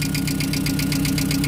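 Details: VW Gol engine at steady idle with fast, even light ticking from the hydraulic tappets; the camshaft and its housing are worn, and the knock was present before.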